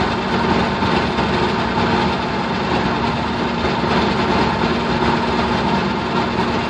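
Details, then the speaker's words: 1990 Honda Civic while driving: steady loud droning whir from the speedometer over road noise, louder when cold, speedometer still accurate; owner suspects a loose speedometer cable or one needing replacement. "The speedometer actually stays accurate. It's just the very loud sound."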